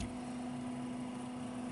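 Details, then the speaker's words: Cooler Master V8 CPU cooler 120mm fan, after oiling the bearing and running about five minutes: a quiet, steady hum at one even pitch with no wobble or rattle, and the vibration is nearly gone. "feels like it's actually spinning and pushing out more air to man the vibration is darn near gone I'm actually really happy with this"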